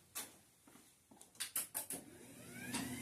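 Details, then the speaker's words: Garage door opener with trolley disengaged: a few sharp clicks, then the motor spins up with a rising whine and runs freely with no door load; motor works but the door does not move until re-engaged. "Okay, so look. Disengage. Not gonna do anything."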